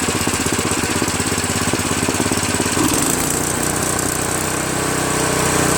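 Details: Craftsman OHV 5.5hp 26-inch dual-stage snowblower, after its surging carburetor was replaced with a Chinese copy and the fuel line and primer hose were reconnected: it holds a steady, even beat of about three and a half pulses per second with no surging; it runs properly.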